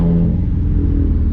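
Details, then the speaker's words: Subaru after a misfire fix with new spark plugs, oil, trans/diff fluid and intake cleaning, warmed up, on a test-drive pull: a smooth, steadily rising note under boost with no cutting out. "oh yeah felt a lot better a lot better a lot better oh my god oh"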